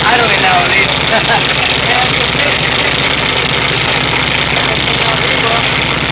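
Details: Freshly rebuilt VW Type 3 1600 cc single-port air-cooled flat-four, first start after rebuild: ticks over steadily with busy, clattery top end and no misses; fresh engine running fine after earlier backfire.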